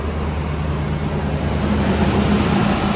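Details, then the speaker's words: 2010 Silverado 2500 6.0L V8 after fixing a broken engine-harness wire, thought to feed a whole bank of coils, that caused misfires. The idle is now smooth and even with no skipping, running on all eight cylinders; the harness still needs more work. "on smoth obviously there's more work needs to be done with this harness"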